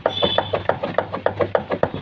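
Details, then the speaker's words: BMW 320d rear suspension: rear shock absorber rocked by hand gives sharp hollow clunks, about six a second, the same knock heard from both sides over bumps and speed breakers; worn rear shock absorbers need replacing. "അപ്പോൾ രണ്ട് സൈഡിൽ നിന്നും ആ ഒരു സൗണ്ട് കേൾക്കുന്നുണ്ട്. മീൻസ് ഇതിൻ്റെ shock absorber മാറേണ്ടതായിട്ടുണ്ട്."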